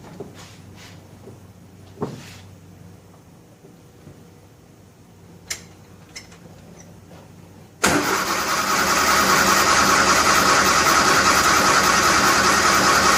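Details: 1957 Nash Metropolitan (titled 1958) barn find, first start after sitting many years, manual choke, fuel pumped up: after some quiet cranking it catches at once and settles into a steady, even idle with no misses or knocks; runs fine.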